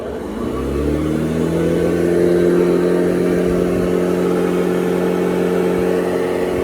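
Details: Hoover Model 28 vacuum motor unit, modified with a molded adhesive adapter and Hoover Convertible parts to take Kirby HEPA bags, at switch-on: motor spins up over a second into a steady, even hum with a clean higher tone, no rubbing or rattle; runs healthy.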